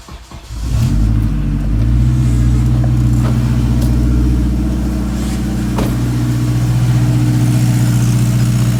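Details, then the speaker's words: K-swapped Honda engine just started after power steering and fuel line tuck, priming the power steering pump: engine settles into idle with a loud, steady droning whine from the pump; belt 6PK1397, slightly too long. "So I'm gonna go ahead and prime the power steering pump. So you can hear it whining a little bit."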